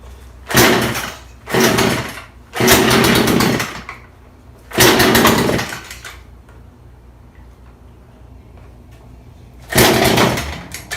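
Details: Craftsman two-stroke chainsaw, found in the garbage, now working after carburetor low/high idle adjustment; sharp clean rev bursts falling back to a steady idle.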